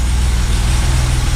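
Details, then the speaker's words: 1979 BMW 633CSi, first start in 5 years after a straight 12V jump (trickle charge for half an hour wasn't enough): deep, steady low rumble with even idle pulse, no knocks or rattles; normal idle. "this all starts there you go that's more like it first thing you have no idea how happy I am that this is running"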